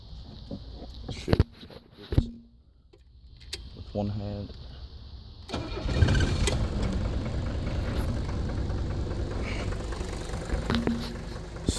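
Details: 1977 Mercedes-Benz 300D diesel with the vacuum engine shut-off valve line left open: cranks briefly, catches and settles into a steady, even diesel idle with no misses; running normally.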